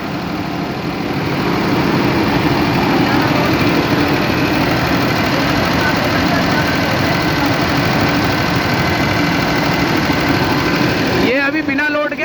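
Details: Diesel engine idling with no load: loose, uneven light tapping about three times a second from the tappets, with hunting, wandering idle speed; hunting stopped once load was applied. Tappet noise with hunting idle.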